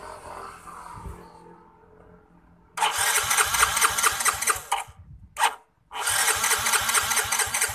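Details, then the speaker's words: Yamaha Mio J fuel-injected scooter that cranks but will not start: the starter whirs in two long bursts with steady compression pulses, and fuel pressure does not rise at all; the fuel pump is suspected clogged or weak and the tank is to be checked. "Hai tekanan DC mau naik sama sekali tekanannya Coba kita starter sama sekali nggak mau naik so mintanya enggak mau naik ya"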